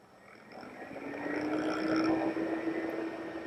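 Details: iMac internal fan during fan test, control check of a good fan (the rattling one was the optical disk drive fan): smooth airy whir climbing to a steady high tone, no rattle or ticking; normal fan at full speed.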